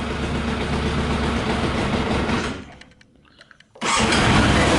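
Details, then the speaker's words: Yamaha YZF 600R running on 40% alcohol whisky after petrol was drained from the tank and carbs, about 10 more minutes in: the engine sags almost to silence and only catches and roars back when the throttle is blipped. Stalls unless throttle held. "It's running now only with the acceleration when I put the gas, you know, otherwise it dies."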